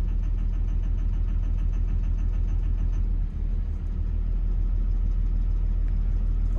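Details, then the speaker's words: Diesel machine at 10,000 hours, idling: a light repeated tick that fades once number one injector is cut out, which also clears the smoke; number one injector knock. "that clears the smoke and the knocking noise goes"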